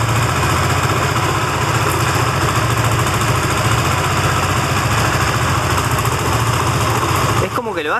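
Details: Benelli TNT25 250cc motorcycle idling, noise three mechanics failed to diagnose: fast, uneven tapping clatter over the exhaust beat, buzzing like a bee, heard most on one side around the camshafts; abnormal top-end engine noise, cause unknown.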